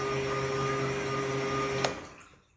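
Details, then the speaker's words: Kings 12Ah power pack running two 1100 GPH bilge pumps at about 15 A and just under 11 V: steady whine, then a sharp click and the motors spinning down to silence as the pack cuts out at its max current. "So unit cut out, drawing its max amps, which I'd expect this thing to cut out. I'm drawing at its peak and it's not going to run like that."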